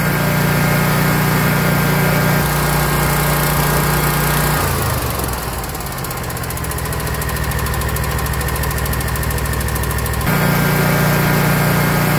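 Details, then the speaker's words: Kawasaki FX691V V-twin on a 2021 Scag Patriot, 80.6 hours, after valve lash adjustment (cylinder 1 intake was loose at .010 in, set to 0.004–0.006 in cold): steady even low hum, one smooth dip and recovery, no ticking. "listen to this baby purr now it's good foreign"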